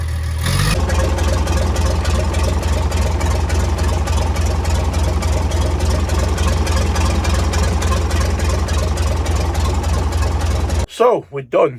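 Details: Converted double-decker bus, warm diesel restarted after original starter motor was repaired: fires almost straight away, settles into steady low idle rumble; starter engages and releases cleanly, starting better than before.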